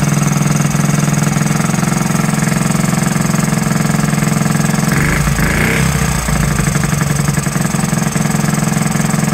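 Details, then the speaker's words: Honda Z50 started for the first time in 35 years: small single idles steadily with a loose, burbly beat and no misses, sounding rich. Owner suspects the carburetor slide needle is set too high and the air adjustment needs setting. "really running rich and my guess if I can guess is that um the slide needle is up too high"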